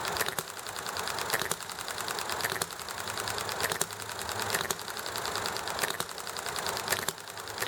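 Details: Enjomor small hit-and-miss engine running nicely: sharp firing pops about once a second with quiet coasting between, steady and even under background clatter, chatting and highway noise; normal hit-and-miss running.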